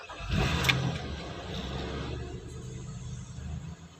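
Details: 2013 Nissan Pathfinder with no ignition/no crank/no start and blinking security light, original fault not found but started via side wiring with battery connected: brief crank, then catches and settles into a low steady idle; starts and runs normally.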